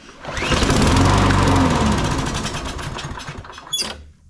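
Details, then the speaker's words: Troy-Bilt (MTD) push mower with an auto choke that won't stay running, low on gas: it catches and runs rough for a couple of seconds, then sags and dies as the choke opens; the carburetor is dirty and needs cleaning. "when the choke opens it'll die out that's what happens a lot of time on these we're gonna clean these carburetors up"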